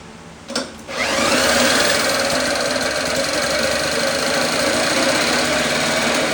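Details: 1954 Lawn-Boy RPM 8FH13LB two-stroke mower, dormant 50 years, first start after ultrasonic carb cleaning: fires and instantly screams to a flat wide-open buzz that never drops back; loose throttle leaks air at carb, no throttle control.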